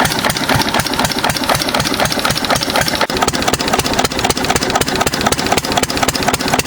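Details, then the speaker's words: 6 HP Witte diesel-electric single-cylinder engine, about 80 years old, water-cooled, revived after ~30 years with valve work, oil change and fuel cleaning: steady even thump about four a second, crisp exhaust beats, no misfires; running healthy. "Starts pretty easy though for being 80 or so years old. Good sound."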